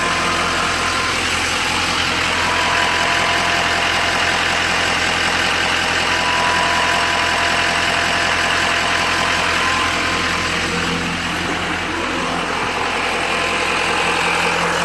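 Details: 2012 Chevrolet Silverado 2500HD Duramax diesel at idle: a steady high whine over the even diesel clatter, attributed to the oil pump; cause not confirmed.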